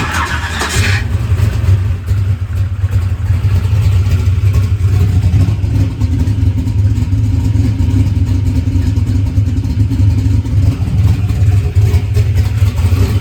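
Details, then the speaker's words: Drag race car V8 restarted after a huge backfire locked it up and broke flex plate teeth: deep, steady, lopey idle with no knock or clatter; it starts and runs, engine running normally. "yeah okay well it starts and runs right now"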